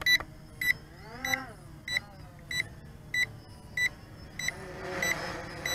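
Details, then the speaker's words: Bayang Toys X16 brushless quadcopter: short high chirps about every two-thirds of a second over faint motor hum, signalling headless mode is active. "yep that annoying beeping noise yep the Headless mode works good"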